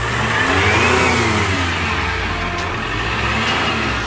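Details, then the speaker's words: 2015 Chevrolet Captiva diesel FL2 after full cleaning, with the turbo O-ring and gasket leaks, turbo hoses and leaking injectors 1–3 fixed: revs rise and fall with a clear turbo whoosh on each blip; the turbo is spooling normally again. "Dah, udah, udah, sudah terdengar lagi suara turbonya."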